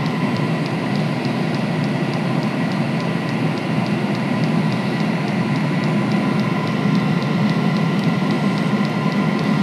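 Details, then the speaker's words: Previously non-lighting diesel heater at full power, pump at four hertz, glow plug off: steady even burner roar with quick regular fuel pump ticks about three a second, burning on its own; runs fine. "right so billy's heater uh runs fine"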